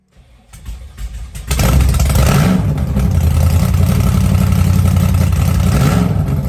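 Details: Blown 1957 Chevy Gasser after an oil change and oil-pressure priming. It cranks, catches in about 1.5 seconds and settles into a deep, strong, steady rumble; a normal start and idle.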